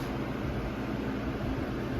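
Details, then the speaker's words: Early-2000s Holmes box fan model HABF-25 on high speed: loud steady whoosh with coarse low hum and buzz, vibration so bad it can be heard two stories up. "like you could hear this fan like two stories up i could hear this fan two stories up vibrating that's how bad the vibration is"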